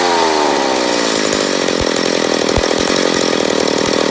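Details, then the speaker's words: McCulloch Pro Mac 850 chainsaw on first start after rebuild, carb being adjusted for less fuel: screams at high revs with slightly wavering pitch and scattered pops; sounds lean, suspected air leak, guessed on the flywheel side. "seems like we got an air leak"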